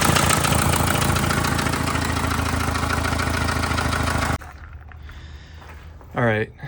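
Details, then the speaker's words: 1991 Volvo 940 turbo at idle: loud, rapid raspy ticking puff about three to four a second, like a tractor, a big exhaust manifold leak from a snapped manifold stud. "Exhaust stud Yeah, it's got a gnarly leak coming out of there. Let's have a listen. Big leak."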